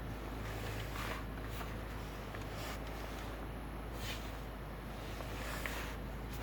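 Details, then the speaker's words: 2007 Nissan Primera P12, 170,000 km, cold start at -17°C, steering turned; power steering previously whined: smooth, even engine hum, no pump whine or groan, steering healthy. "чего-нибудь слышите Я ничего не слышу я слышу только Как ровно работает моторчик"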